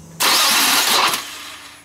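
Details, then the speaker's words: 4th-generation Nissan Maxima, battery fully charged: brief harsh, hissy grinding whir from the starter that dies away without the engine catching; failing starter, Bendix suspected of hanging up, slow crank. "maybe we can hear the bendix getting hung up it's kind of like a winding sound after it starts sometimes it's kind of sounds like a slow crank"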